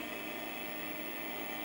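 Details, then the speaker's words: Mid-1980s LaPine Titan 3.5-inch mobile hard drive, which had sounded terrible, finally initialises and formats: steady high-pitched spin whine with a constant tone and no scraping or clicking; sounds healthy. "okay now listen to this thing it's actually formatting i don't believe it this drive has sounded like utter crud and then one random boot up it's initialized properly and now it's formatting and it sounds wonderful"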